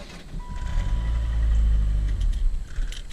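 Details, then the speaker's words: 1997 Saturn SL2, after replacing intermittently failing starter (single-click no-crank), car on ground: brief crank builds straight into firing engine within about a second, no clicking or hesitation; new starter sounds different but starts normally. "starts just fine now final test cars on the ground it still fires up immediately the starter totally sounds different but that's to be expected"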